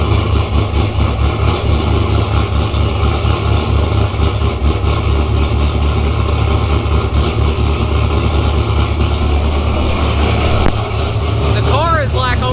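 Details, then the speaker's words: C6 Corvette with LS3 swap, first start, about 8 miles total, untuned, recorded in closed garage; loud, deep, steady V8 idle with even lope and no knocks or ticks — normal idle. "Sounds pretty good. The motor sounds healthy."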